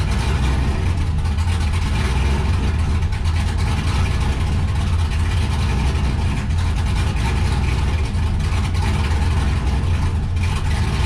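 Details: 1969 Camaro with a cammed LS swap at first startup: deep, lumpy idle whose speed swells and sags instead of settling, a hunting idle. It is running slightly rich, and fuel is being trimmed toward 14.5–14.7 AFR before any timing changes.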